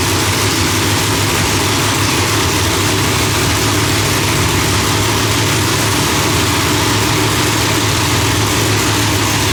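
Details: Blown engine after distributor trigger corrected from rising to falling edge in Holley setup: loud, steady, lumpy idle with constant blower whine, no backfires or misses; now runs properly.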